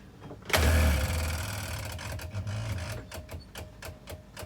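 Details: Boat electric lift pump re-priming after a fuel-line air leak was fixed: a short whir, then crisp ticks that space out and settle within seconds, showing no air being drawn; normal priming.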